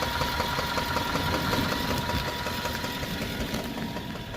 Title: ENGINE KNOCKING SUZUKI SWIFT 1.6 SPORT 2013 100K MILES CONROD BEARING PROBLEM...